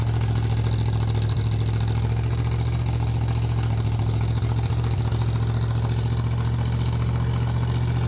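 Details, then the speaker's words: 302 V8 engine driving an air compressor, cold-blooded, choke partly on, governor being sorted; described as weird-sounding 302, deep steady low drone with no misses or knocks, normal running building pressure. "This has got to be the weirdest sounding 302 I've ever heard. I think we're going to get it."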